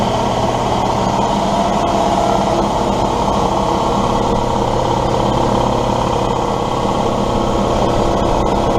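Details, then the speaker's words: Husky compressor with Sanborn pump and motor, after new lines, pressure switch, gauges and tightened belt, first test run: even chugging about three and a half beats a second over motor hum, building pressure; normal running. "so let's go ahead and give it a give it a test run here and see what happens"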